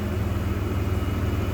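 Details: 1993 GMC Sonoma (S15), 245,000 miles, idling after the distributor replacement fix: low, steady rumble with an even beat and no stumble or surge; a bottle on the engine shows no pulsation.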